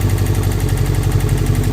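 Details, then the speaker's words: 1998 Subaru Forester S, first start in years after timing repair, no compressor or power steering: steady low thrum with an even beat and no stumbles, owner thinks not misfiring; normal idle. "I mean, I don't think it's even misfiring."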